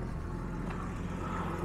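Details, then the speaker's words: Jaguar XJ6 Series 3 inline-six, about three minutes after start, not yet warm, idle dropping from 1100 rpm; uneven stumbling rumble, misfiring, nearly stalls; ignition or vacuum leak suspected. "it's been about three minutes as you can clearly hear it's misfiring are running rough hasn't gone up the temperature yet but the Idol's coming down and dude it's missing"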